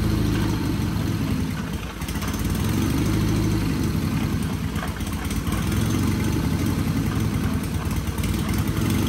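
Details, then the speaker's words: Sears Craftsman FF24 engine at first start-up after removal and oil pan gasket replacement: rough, uneven running with a wet gurgle under the exhaust beat and oil spraying out under pressure; engine gurgling and not running right. "you hear that gurgling in there and you see all the oil spraying on me yeah that's not good"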